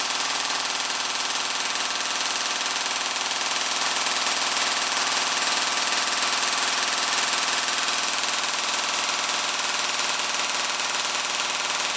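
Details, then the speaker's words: Gel blaster gearbox on the stock motor with an M120 spring, drawing about 27 A peak and 16 A average: a fast, even buzzing cycle of about 200 shots a minute with a bright motor whine. Normal, healthy gearbox cycling. "all right that sounds tough um we'll uh observe the the current readings"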